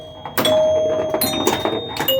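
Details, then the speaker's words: Joker Poker pinball machine after restoration (switches cleaned, flipper coil sleeves, relay coil repaired), glass off and coin door open: sharp, loud bell-like chime strikes with long bright decay; normal chime ringing. "obviously the chimes are super loud because I've got the class off and the coin door open"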